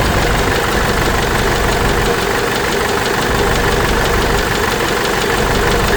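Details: Case 586E Cummins 4BT diesel after teardown and new oil pickup tube: loud idle with rough uneven knock about three per second; knock still there, cause unknown.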